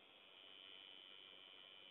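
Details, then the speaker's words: Corsair all-in-one liquid CPU cooler pump in desktop PC with Gigabyte GA-890GPA-UD3H: faint steady high-pitched buzz; owner finds it annoying, on 5V header pump sometimes fails to start, to be returned to Corsair. "you can hear the pump uh that's going back as well um I've got to send that directly to Corsair though apparently H A lot of people have problems with it buzzing quite loudly"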